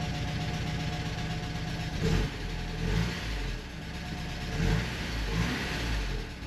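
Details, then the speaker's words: 1985½ Porsche 944 non-turbo after replacing both reference sensors: restart catches into an even idle and takes quick clean blips on all cylinders, with some lifter tap; injectors may be partly clogged. Running healthy. "I think we're in business."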